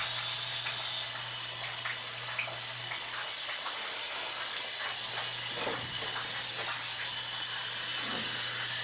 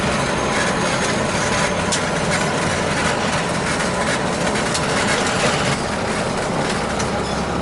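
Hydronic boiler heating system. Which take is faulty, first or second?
first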